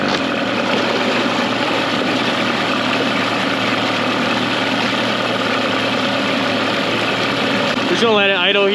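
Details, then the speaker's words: Mercury 9.9 hp two-stroke short-shaft outboard, believed early 90s, after years of sitting, with an upgraded carb and plugs. It idles in gear in a test tank after maintenance, with a crisp, even, slightly brisk burble and no misses or knocks; sounds good, normal idle. "for a little bit in gear it doesn't sound too bad where it's at right now and it's coming pretty perfect so we're just gonna let idle see if it stalls out at all and then go from there but right now the motor does sound pretty good"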